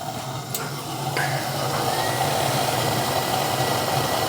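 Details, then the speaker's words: Apartment gas furnace with thermostat calling for heat, filter good; steady low hum settles in as the burner lights, even and quiet with no bangs or rattles; furnace starting normally. "It's calling now. It's calling for heat now. It's going to run, and I want to make sure the fan comes on."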